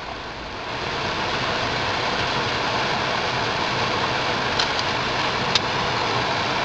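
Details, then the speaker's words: Ford Focus cabin blower, old burned-out motor that seizes at high speeds, key on, engine off, switched to speed 3: steady, even airy whoosh with no ticking, rubbing or wobble; runs normally for now. "Switch over to number 3. Whoop! Fan started moving."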